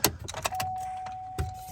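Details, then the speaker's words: Chevrolet Trailblazer, key on, engine off, panel removed under the dash near the gas pedal: uneven plastic clicks from the HVAC blend door actuator skipping, confirmed as the culprit. "when I go to turn the key on yet clicking up in there and obviously you can hear it so that is our culprit"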